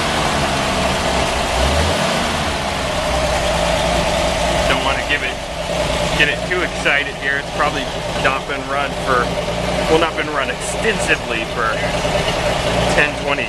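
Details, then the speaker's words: 1946 Chevy 2-ton cab-over, 235 inline six after head rebuild, first run in years: even-firing six idling a touch fast with deep open blown-out glass-pack rumble, no knocks or misses; normal idle. "it's got that beautiful blown out glass pack out oh yes that's just a symphony of Machinery there"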